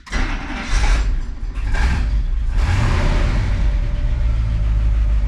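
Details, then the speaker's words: 1972 International 1110 pickup, IH 345 V8 with newly installed Holley 2-barrel carb, glass pack exhaust full of holes. Starter churns briefly, V8 catches and settles to steady deep idle with loud exhaust rumble; normal start and idle. "it sounds pretty good actually it's got glass packs on it there's holes all throughout the exhaust it actually runs pretty darn good"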